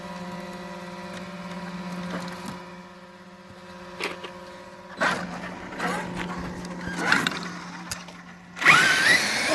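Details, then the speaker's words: Traxxas X-Maxx RC truck after a friend broke a part: steady electric motor whine with irregular light ticks as the axle rubs on the top of the chassis. "y'all are wondering why my X-Max is making a ticking noise, it's because I let my friend borrow it and he broke something that's in here. He broke this thing, so the axle right here is rubbing on the top of my X-Max."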